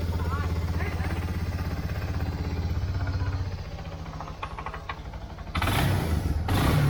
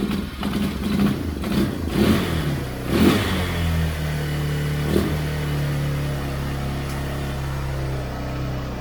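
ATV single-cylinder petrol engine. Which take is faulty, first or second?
second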